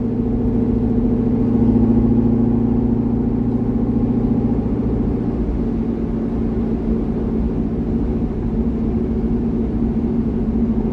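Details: C6 Corvette with aggressive camshaft and long-tube headers on a revised HP Tuners idle tune: even V8 rumble holding steady with no hunting, stumbling or surging; smooth idle, idle tuning about 80% done.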